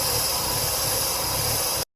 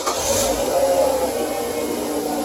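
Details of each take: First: 2003 Mazda 6 2.3 L with stalling and surging idle, codes P2187 and P2177 lean: steady loud hiss at idle over a low engine rumble; a vacuum leak, likely from a collapsed or torn PCV valve hose under the intake manifold. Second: 2003 Mazda 6 2.3L with stalling/surging idle, codes P2187 and P2177 lean, started after throttle body and intake/PCV hose work: steady, even, smooth idle with no hunting or stumbling; normal idle.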